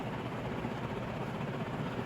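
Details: Restored Palco industrial ceiling fan on high after new bearings, formerly locked up with rough bearings; drawing about 1.28 A; even steady whoosh and low hum with no grinding or rubbing, running smoothly.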